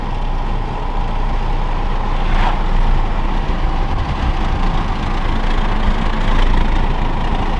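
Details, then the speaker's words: MK5 Toyota Supra, windows down at about 54 mph, before fitting Armaspeed Windblock side mirrors: deep throbbing low rumble over steady road roar, bass-like sound waves reverberating badly in the cabin; wind buffeting, worst around 50–55 mph. "Hopefully that comes off on camera, just the sound waves reverberating really bad."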